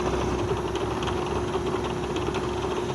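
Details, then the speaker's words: Tanzu cordless fan sold as brushless but actually using a brushed motor gives a steady hum with constant rattle and creak; the motor itself is noisy, not a mounting fault, and it is equally noisy on the mains adapter. "Ini bunyi dari dinamonya yang tidak stabil, bukan karena salah pemasangan, tapi memang dinamonya sangat berisik. Dengung dan bunyi kemeratak ya, bunyi berderik, sangat berisik ya."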